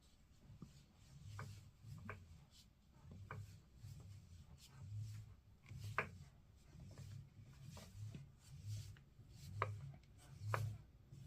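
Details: Fanatec DD+ wheel base turned back and forth: sharp irregular clicks and clunks from within the base at the motor shaft over a low rubbing hum; replaced under RMA with a new base that had no problems.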